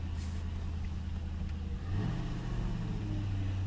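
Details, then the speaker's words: Ford Town Car V8 checked after a cylinder 8 misfire from another bad coil pack: even, steady low burble with one quick rev blip and no stumble or skipped beats. Normal smooth idle. "nice and smooth"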